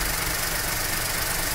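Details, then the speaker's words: Skoda Fabia that overheated because the radiator fan relay failed, after replacing only the relay (wiring OK); steady idle under an even rushing fan hiss, no knock or squeal; cooling fan running, problem solved. "ये देखिए replace करने के बाद हमारा problem solve हो चुका है देखते हैं"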